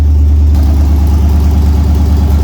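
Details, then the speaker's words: Truck with Holley dash, gauges and tune not yet set up: loud, deep, lumpy idle with a faint regular dip in the beat; owner hears a slight miss on one side, cause not yet found. "a little bit of a Miss on this side a bit I'm still gonna figure that out"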